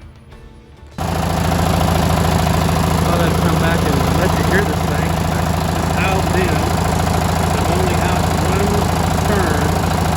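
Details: Li'l Red on a top-speed run at full throttle after new spark plugs: strong, even drone with no misses or stumbles; runs great, and there is no longer a gasoline smell at the exhaust.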